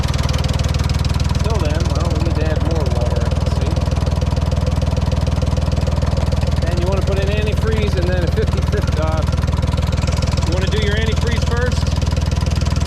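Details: 1968 Ford 4000 diesel tractor after water pump repair, refilled with 50/50 antifreeze, idling to warm up toward about 180 degrees so the thermostat opens: slow, even chug at about four beats a second, no knocks or misses; normal idle.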